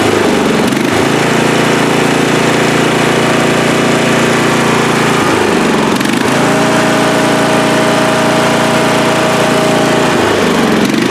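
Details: Free riding mower, tank previously drained, running after flood-prone start attempts with fuel clamped off to stop flooding: small single-cylinder engine at steady, even speed, no surging or misfire; sounds healthy.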